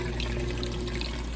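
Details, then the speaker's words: GE 2.8 cu ft top-load washer draining after the wash cycle, before rinse: steady fast water rush with even low pump hum, no rattles or grinding; normal drain. "that drain running nice and fast as it moves on to the rinse cycle."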